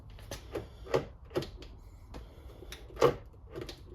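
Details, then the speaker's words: B8-generation Audi Q5 after fuel door actuator replacement, with the AdBlue cap refitted: short crisp clicks and clunks in quick bursts as the lock cycles, no grinding or buzzing, and the fuel door stays shut when locked; actuator working properly. "There Everything's working beautifully there."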